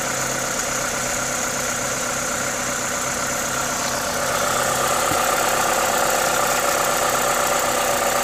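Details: Toyota 2ZZ-GE engine at normal idle: steady, even idle with clear hiss from the open induction kit on top, no knocks or misses; healthy engine.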